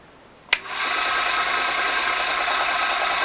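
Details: ZJ4110 Chinese 8-inch drill press, reassembled after cleanup: a start click, then a steady even whir with no knocking, rattling or grinding; the center rod had been banging before; it now runs smoothly.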